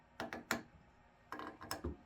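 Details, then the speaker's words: Honda CR-V sun visor, removed and held in a vise: short dry creaks in two clusters as the very stiff pivot between the metal sleeve and outer housing is forced round by hand, before silicone lubrication. "See how much effort it takes to rotate this thing. Quite a bit. Really stiff. You can even hear it creaking. Listen to that creaking."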